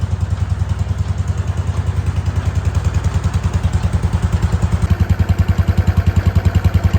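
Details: Wheel Horse C-120 single-cylinder engine running. Steady, even thump with no misses or knocks, smooth throughout; normal running.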